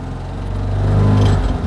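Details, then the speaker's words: 1959 BMW Isetta 300, 298cc single-cylinder engine, just started in neutral: loping, uneven low putt that swells slightly, likened to a 2CV with a misfire; normal single-cylinder character. "a single cylinder engine, and we've immediately got to get across a cattle grid, so this may be uncomfortable."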